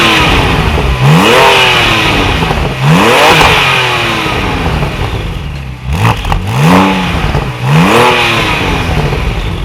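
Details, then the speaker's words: Wrecked salvage Porsche 997 911 Turbo convertible being rebuilt, after start: repeated sharp revs about every two seconds, slightly rattly and dry at first as owner says all his 911s sound, then crisp; normal. "every single 911 I had we've done that when they start up it almost sounds like it's running dry with no oil"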